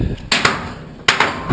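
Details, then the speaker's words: 1966 Ford Falcon 2-door, storage-auction find, driver's side door being worked: two hard metallic clunks, each followed by a loose rattle. Sprung door. "So here we go. We got a 66 Falcon. Fairly straight. This door is sprung,"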